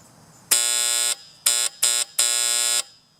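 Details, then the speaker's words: Septic system control panel at power-on: a harsh alarm buzzer sounds in bursts (long, two short, long), a false high-water alarm from a short in the float switch or its wire, later traced to the float switch. "so either there's a short in the wire between here and the float or there's a short in the float switch so when I turn this on the alarm comes on of course I can turn it off"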